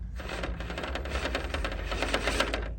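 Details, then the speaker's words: Axial SCX10 III Base Camp RTR RC crawler on rocks, no O-rings on body posts: quick uneven clatter of light plastic rattles over motor whir; body rattle from loose body posts. "This body makes a lot of rattly noise when you drive over any uneven ground of any kind."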